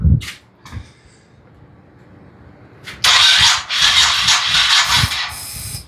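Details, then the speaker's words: 1998 Honda Shadow Aero 1100: starter cranks in uneven bursts for a few seconds but engine never catches; still a crank no start, cause not confirmed. "let's just uh dig it well here I'll show you what it's doing here's what we got [Music] yep still dead"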